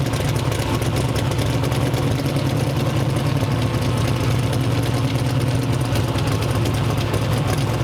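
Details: Twin-turbo 427 V8 ("Uncle Sam") on the dyno: loud, rough, choppy rumble; misfiring, with four bad coils suspected.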